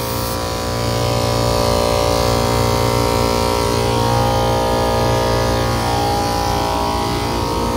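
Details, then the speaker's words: Kitchen AC unit, well over 100°F outside: first-stage compressor vibrating hard enough to shake off refrigeration probes but still pumping, with loud steady hum, low drone and buzzing rattle. Readings look low on charge (low pressures, high superheat, low subcooling); oil may be added. "so this uh first stage compressor is vibrating so bad but it's pumping so i might try to put some oil in it but we're definitely looking low but it's vibrating so bad the the refrigeration probes keep coming off all of"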